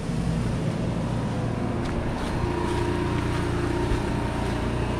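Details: Onan 4000 RV generator, after a starter problem owner suspects was a loose wire, running under load: holds a steady, even drone with no hunting, misses or knocks. Running fine under load.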